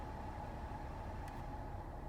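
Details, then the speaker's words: Ford Escape heater blower after the blower motor resistor was fixed, run through speeds four, three and two: a smooth, even low hum with no rattle or whine. Normal operation, where before it failed on some speeds. "this is after the fix you can see this is how it's supposed to sound there's four three there's two"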